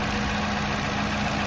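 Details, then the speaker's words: 2018+ Toyota Camry after spark plug replacement; smooth steady idle, even low hum with soft light tick, no misses or hunting, much quieter once the high-pressure fuel pump shuts off as the engine settles; normal idle. "Much quieter. After the engine settles down, that high pressure fuel pump shuts off."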